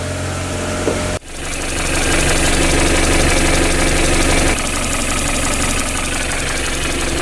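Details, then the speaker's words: Newly bought project car starting on a new battery after earlier hard starting: brief cranking, fires and settles into a steady even idle with smooth low rumble, no knocks or misses; left running to warm up and check for leaks. "So I'm going to let the car run right now and then can see if there's anything leaking. Let it heat up and open up a door."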